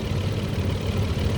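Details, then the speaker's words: Toyota Supra, low mileage with a timing belt already done, idling at first startup after sitting for years with slight whitish exhaust smoke. A low, steady rumble with an even beat and no knocks or ticks: normal, smooth idle. "yeah i mean it sounds good sounds smooth from you know hour long"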